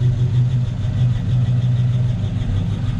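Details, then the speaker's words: 1953 Ford F-100 with a 239 cu in flathead V8, idling in neutral after a choke start, recorded at the exhaust: a deep, steady, even burble with no smoke or water. Healthy idle. "Vehicle starts right up. Sounds good, runs very well."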